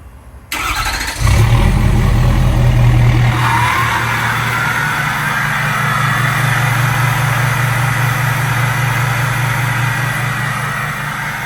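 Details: Ford F-250 diesel, stage three turbo, 5-inch turbo-back exhaust with Magnaflow tip, remote start warm at about 80° after driving: brief crank, steady even idle, faint rising turbo whistle; healthy.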